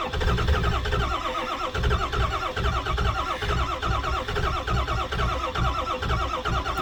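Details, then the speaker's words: Ford 7.3 diesel truck, unplugged cold start at seven degrees, second day in a row not starting. Slow, regular starter chugs go on without the engine ever catching. Extended cranking, no start. "all right let's try this again oh i don't think she's gonna start first time this has happened"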